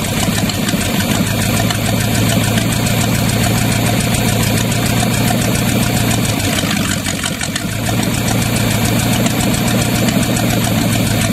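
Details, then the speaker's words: Used Chevy 350 small-block V8 on an engine stand, after carb cleaning: loud stumbling lope with irregular low beats; good oil pressure; pulling number three plug wire made no change, so that cylinder was suspected missing; plugs then pulled. "the second thing is act like it's was missing so pulled the number three plug wire off and act like it wasn't doing anything"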